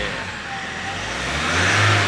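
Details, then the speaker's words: Mahindra Scorpio after fixing a pickup and power-loss problem, with the MAP sensor and intake pipe refitted and the engine cover still off, revved just after starting: the note climbs quickly and cleanly without stumbling; the engine now revs freely. "Very good अभी RPM तेजी से जा रहे हैं उम्मीद तो है कि अब अच्छा पिकअप पकड़े गी गाड़ी"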